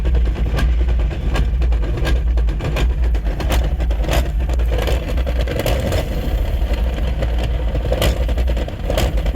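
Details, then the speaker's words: Drift car making a new noise along with low power. Engine rumbles low with irregular sharp knocks about every second; judged transmission related, with clutch, flywheel or internal gearbox not yet determined. "all decided it's transmission related, but we don't know exactly if it's clutch or flywheel or internal trans or what."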